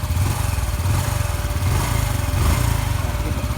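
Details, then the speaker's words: Honda Biz 125 after engine rebuild, fairings still off: single-cylinder thumps evenly and rises and falls smoothly with the throttle, much quieter than before, no knocking; normal running. "de acelerar funcionamento perfeitamente sem bater nada"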